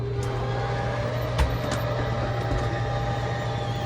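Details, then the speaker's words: Keystone RV electric (not hydraulic) bed slide, run in and out after rebuilding the bed frame broken by overloaded under-bed storage: steady low motor drone, faint whine and light clicks, even travel without binding; working properly. "I know these things make terrible noises when they go in and out, but that's good. Perfect. So this is an electric slide. It's not a hydraulic slide like our other 2."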